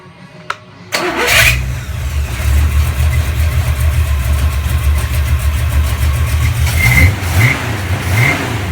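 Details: 1970 Chevelle 454 big-block with flat-tappet cam, cold start right after cam break-in and oil change: brief crank, catches and settles into a steady, deep idle with a few throttle blips, no ticking or knocking; normal cold start.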